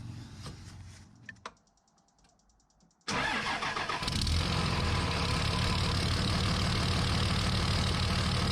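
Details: 2003 Dodge Ram 5.9 Cummins diesel after HY35W turbo replacement: brief crank, catches at once, even steady idle with no misses or odd noises; normal start and idle.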